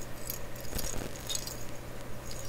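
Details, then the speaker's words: Type 26 tube for a 1928 RCA Victor 28V radio, shaken in hand: a few loose light clicks and a small tinkle, suspected loose part floating inside the glass, unconfirmed; internal rattle when shaken. "That doesn't sound too good, eh? So you can see I'm holding it right. Oh. What is that? Let me look here. So I'm looking for parts floating around inside."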